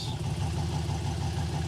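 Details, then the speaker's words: '66 Corvette, dormant 30 years, LS-swapped: low, lumpy but even V8 idle holding steady while the new transmission is shifted through reverse, neutral and drive, with no clunks or whine. Transmission works; engine and trans sound healthy. "neutral Drive I think it's working we're going to go do [Music] burnouts oh man that sounds good"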